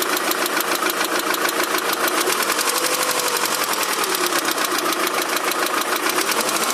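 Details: Daewoo Nexia 16-valve engine at idle with a fast, fairly even ticking knock from start to finish, steady with no rev change. It knocks both cold and hot; the source is unclear.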